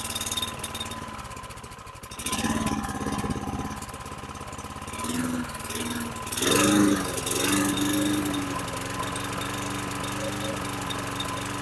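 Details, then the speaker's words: 2009 Lawn-Boy 20-inch RWD mower, model 10642, 675 series engine; throttle tab pulled forward from very low rpm to raise revs, then exhaust sags and stumbles unevenly: engine cutting out at high rpm, cause not yet found. "You pull it forward, it puts tension on the spring. As I did, you can hear from the exhaust that it started to cut out."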